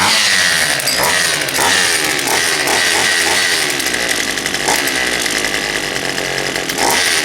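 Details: Poulan Pro 222 38cc chainsaw after the fuel lines were re-routed correctly and a new air filter fitted: a high, steady two-stroke buzz holding even revs with no stumbling or sputter. It runs clean and healthy.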